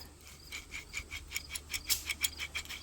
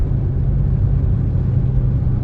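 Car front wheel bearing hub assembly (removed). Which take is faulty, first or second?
first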